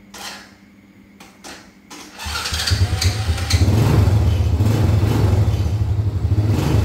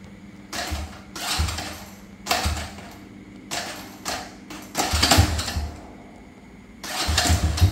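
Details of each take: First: Honda Dream motorbike whose starter clattered and slipped without engaging. After the repair, a short starter whirr, then the engine fires cleanly and settles into a steady, even idle with no clacking. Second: Honda Dream motorbike: each press of the electric starter gives a short, harsh metallic rattle and the starter won't engage the engine. The starter one-way clutch is slipping.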